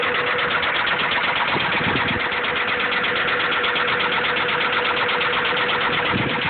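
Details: Honda B16 engine at idle: steady, fairly regular deep knock about three per second over the engine hum, suspected rod knock, unconfirmed.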